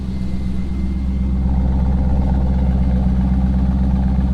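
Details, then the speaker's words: Corvette V8 idling, heard from the rear. Borla exhaust is the only modification; stock catalytic converters retained. Loud, deep, steady burble with an even pulse and no misfires or tapping; a healthy idle. "It sounds pretty good, honestly, for it still has catalytic converters. Everything is still stock."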